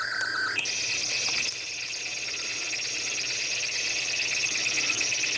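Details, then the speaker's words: ZX Spectrum 128k +2 built-in tape deck loading Equinox: a steady high loading tone jumps up in pitch and holds, plainly too shrill. The deck seems to run far too fast, cause not identified. "That doesn't sound right at all. It seems going round really, really quickly. This ain't right. Why is the tape player going about warp speed?"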